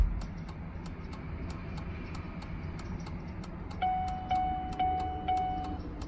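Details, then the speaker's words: 2003 Chevrolet Suburban after flasher module replacement, tested with the new module. Crisp clicks about two a second, evenly spaced without skipping, with a chime joining later; normal flasher operation. "sounds about the same and I'll let it blinking blinking blinking blinking well I think that's long enough to let us know that it's working the other one would have messed up before then"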